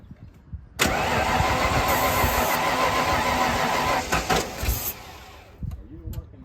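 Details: 1995 Ford Bronco parked for years, fuel pressure dropping, after fitting a new fuel pressure regulator (old one possibly gummed by old gas): starter grinds, engine catches on starting fluid with rough roar about three seconds then fades; injectors suspected, noid light test next.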